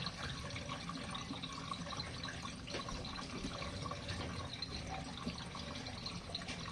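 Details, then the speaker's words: RV washing machine on standard mode with warm water and medium water level, final drain before the last 3-minute spin. Quiet running water and trickling as the tub empties, no grinding or pump strain: normal drain. "all right final spin final drain and we'll go on the final the last 3 minutes of spin guys"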